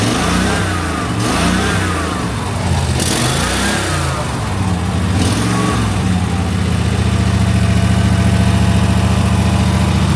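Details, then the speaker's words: 2005 Snapper ZTR mower, 20 years old with 1,500 hours, seat switch bypassed: with throttle closed the engine keeps rising and falling in revs on its own then settles high, a runaway surge; possible fuel leak, carburetor replacement planned. "Okay, so we're at, this is no throttle, right? And if I go down, let's see if it should do it. Yeah, just goes."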